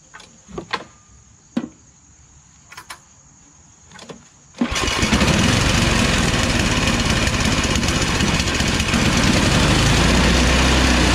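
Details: MTD Yard Machines Tecumseh 8 HP Snow King 24-inch two-stage snow blower, after carburetor cleaning: pull-cord starts, then loud uneven hunting surge, stalling at mid throttle; fix is replacing the carburetor and fuel line.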